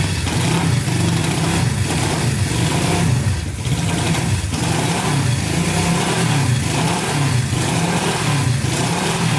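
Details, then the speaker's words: Barn-find Honda CB350 twin (listed as 1970 or 1974) just fired on first choked start after years sitting: runs continuously but the beat surges and wavers, won't settle to idle; owner says it needs dialing in, likely carburetion. "fired right up sound pretty good we gotta get dialed in because it was not idling but other than that it sounded really good"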